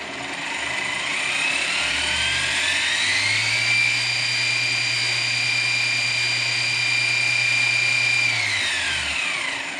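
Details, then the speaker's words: Grizzly G0748 mill after DC motor upgrade, control box update in progress: motor winds up to a steady high whine with a rattly, chattering edge, holds, then spins down; temporary parts make it loud and chattery until replaced, gear chatter. "so now this thing's loud and chattery until I get that stuff taken care of"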